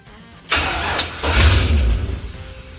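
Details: Toyota Toyoace after rewiring with 10–15 litres of fresh fuel added, fuel pressure unchecked, no dipstick fitted: starter turns the engine steadily about two seconds but it never catches; cranks, no start, cause unconfirmed.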